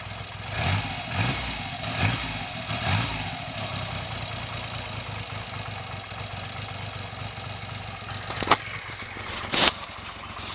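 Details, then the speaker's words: Triumph Trident T150V triple, first start in over two years, points, plugs and carbs untouched: settles into a low, fairly even idle after early surges, with two sharp throttle blips near the end. "that is exactly what i got after over two years and it's standing idle and there's three sets of points in there i haven't even looked at that"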